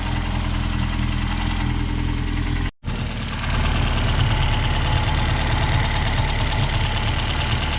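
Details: 1969 Reliant Regal 850cc engine on test after hours of tinkering ticks over nicely: steady, even low rumble with one brief dropout. Water pump pulley sits about 5–6 mm out of line with the crank pulley.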